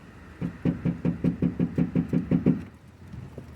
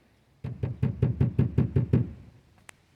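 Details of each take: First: 2002 Mercury Grand Marquis with aftermarket rear speakers and 8-inch subwoofer: deep bass thumps about five a second with buzzy rattle on top; tinny rear package tray rattles despite foam deadener, before Killmat sound-deadener install. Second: 2002 Grand Marquis rear package tray knocked by hand after Killmat sound deadener install: eight dull low thuds, about three a second, no tinny ring or rattle; well damped, sounding much better, though nearby wires still make slight noise.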